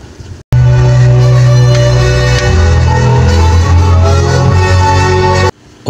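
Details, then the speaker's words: Extreme amplifier II after repair: music plays cleanly with strong, steady bass and no crackle, hum or hiss. The volume knob no longer makes noise when turned, and the left and right channels are now equally loud. "yung tunog hindi na po maingay kapag in-adjust yung volume at pantay na rin yung lakas ng right channel at saka left channel"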